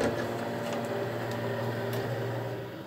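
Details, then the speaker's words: Baymak Falke 24 combi boiler with hot water tap open, cover removed; steady low buzzy drone from the 3-way diverter valve motor, water got inside and damaged it, likely stuck in radiator position. "Motorun içine ayrıyeten iş takım bozulmuş. Bundan dolayı ses yapıyor. Cihaz petek konumunda takılı kalmıştır büyük ihtimal."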